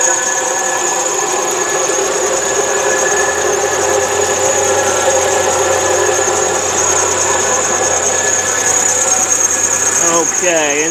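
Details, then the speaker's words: 2004 Chrysler Sebring sedan, 2.7 L V6, automatic, engine bay: a steady high-pitched serpentine belt squeal over an otherwise smooth, strong-running engine. "this is a 2.7 liter V6 as you can hear it's got a little bit of a belt squeal but the motor is pretty strong and it does run pretty good"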